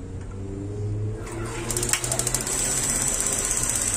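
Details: Gas water heater, new hose fitted, relit after gas smell cleared: quick regular igniter ticking over faint gas hiss, flame lights briefly then goes out, appears to be low flame.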